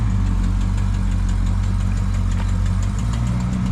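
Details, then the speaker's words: 1965 Chevrolet Impala Super Sport V8: lumpy idle with a faint quick ticking puff riding on top, steady with engine speed; a small exhaust leak, not a big deal. "It's got a little bit of exhaust leak, you can hear it, not a big deal."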